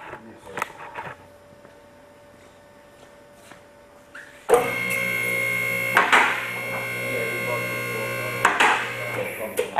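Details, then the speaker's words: Two-post car lift raising normally: steady electric pump hum with sharp metallic clicks as the safety catches on both sides drop into position, so the carriage cannot fall if the cylinder fails. "now you've heard it uh each time that clicks the safety is getting into Position will not allow the cylinder to uh will not allow the carriage to fail fall if the cylinder fails"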